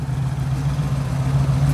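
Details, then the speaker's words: 1976 Ford Bronco original survivor, 302 V8. A deep, low burble with a steady, even beat and no misses or knocks: a smooth, healthy idle. "let's start it up and I'll let you hear it it's a pretty smooth running 302 I'm pretty excited about this Bronco as you can probably tell"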